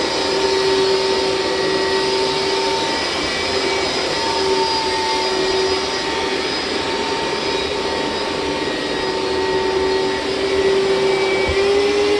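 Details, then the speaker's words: Hoover SteamVac Widepath carpet cleaner, about 20 years old, during a wet rinse pass: steady high suction whine and hiss whose pitch creeps upward, signalling that the recovery tank is full and needs emptying. "Means time to dump."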